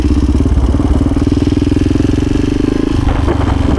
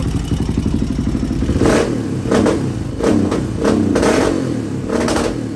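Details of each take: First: 1986 Honda HRC XR628R (XR600) dual-carb single on road test after rejetting, 140 secondary jet fitted: crisp, even firing pulses climbing cleanly as the throttle opens, no popping or spitting, pulls strongly in first and second off idle; normal acceleration. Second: 1986 Honda HRC XR600 (XR628R) single with dual carbs, rolling into throttle on road after jetting changes: sharp pops and crackles, still breaking up badly past half throttle; owner suspects too lean on secondary carb, considering a richer needle position.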